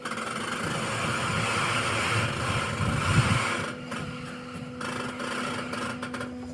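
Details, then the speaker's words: Hunter Horizon 27 sailboat drying out on a falling tide: irregular scraping and creaking crunches as the hull grinds down onto the bottom; alarming but normal low-tide grounding noise. "So, you see where the tide is now. It looks like the whole thing is just going to grind downwards as we drop."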